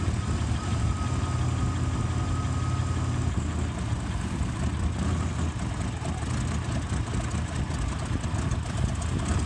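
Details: 1985 Buick Regal T-Type (WH1) V6: a low, uneven, rough idle; idle rises when carb cleaner is sprayed around the throttle shaft seals, which have failed and created a vacuum leak.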